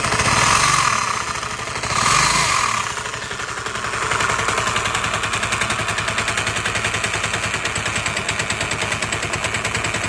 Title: vespa lt 125 started making a rattling noise after sitting for a few months.